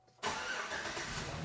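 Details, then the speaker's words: Chevrolet Silverado after replacing the failed fuel pump control module, following a couple of ignition cycles to build fuel pressure: the engine catches quickly and settles into a steady, even idle with no stumble or misfire. Repair successful. "Oh yeah. It runs. Chevy Silverado, fuel pump control module."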